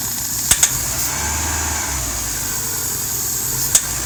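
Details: 2001 Hyundai Tiburon: steady high hiss over a quiet, even petrol idle with a couple of sharp clicks while diagnosing where an intake vacuum leak is coming from.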